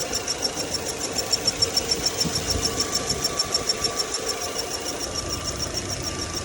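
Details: VW Passat B5, cold engine at idle: a thin, high chirping squeal pulses about three times a second from under the hood. The source is unfound. Cause suspected, not confirmed.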